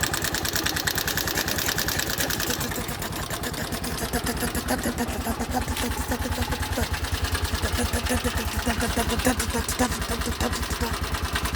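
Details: 2020 Bajaj Boxer X150 single-cylinder motorcycle idling and shaking violently with a hard, steady knock about three times a second; first suspected tappets or loose timing chain, found to be a worn piston rubbing the cylinder walls, fixed by piston replacement.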